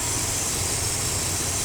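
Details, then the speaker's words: 1998 Dodge Ram 318 V8 after new fuel pump, new crank position sensor, one new pushrod and rocker check; steady, even idle with smooth drone, no knocks or misses, running like new. "New fuel pump, new crank position sensor, one new push rod, engine running like a brand new one."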